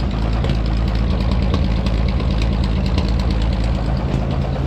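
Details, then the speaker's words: Dodge M37 military truck sat about 15 years after a loud engine noise, idled very low: deep heavy idle with a steady knock about three per second, suspected rod knock, less noticeable at low rpm, not confirmed. "the knock is a lot less noticeable now but this might be the ideal way to diagnose it"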